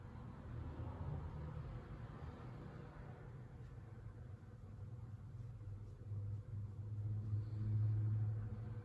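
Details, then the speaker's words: Worn motor bearings give a low, train-like rumble with a wavering hum from a slow-running 36" brown CEC Georgian ceiling fan. The fan moves little air. "This fan does kind of sound like a train when it runs, because the bearings are making this weird sound."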